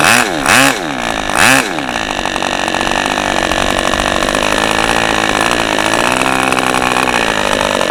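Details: OS 40 FP glow engine, first run on a stand, 11x5 prop, OS #8 plug, 5% castor/synthetic fuel, after the air bleed screw was opened and the idle screw adjusted; soft, burbly idle after a couple of blips; low end still slightly rich.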